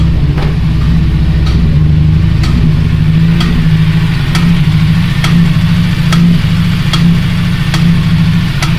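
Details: Honda Civic Si EP3 engine at an uneven, lumpy idle with a regular stumble about once a second from a dead cylinder; a valve was bent on the way home; a misfire from the bent valve.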